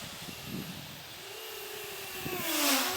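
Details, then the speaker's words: XK X252 quadcopter in 3D flight after balancing propellers and tightening the frame with zip ties: quiet clean motor whine sweeping with throttle, no buzz or shudder; vibration fixed, running smooth. "Like I said, now that I've put the zip ties and balanced propellers on, it's just a quiet, smooth, powerful beast."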